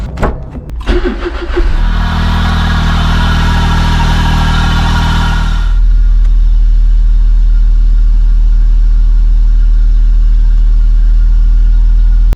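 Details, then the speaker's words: 2008 Smart Fortwo 451 Passion 84 BHP at idle, noise from the rear: constant droning howl, present with AC on or off and varying with engine speed, after acrid burning smell; burnt-out AC compressor clutch and pulley bearing, AC no longer working. "the noise was coming from the back here and the smell it's now making noise whether the air conditioning is turned on or off and I will try and demonstrate here"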